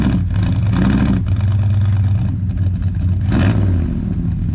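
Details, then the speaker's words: 1965 Ford Galaxie 500 after carburetor rebuild, long sat in water: V8 revs into a low labouring roar, rocking the car, but seized rear brakes keep the wheels from turning. "it breaks a lot boys look at that motor it's rocking the car"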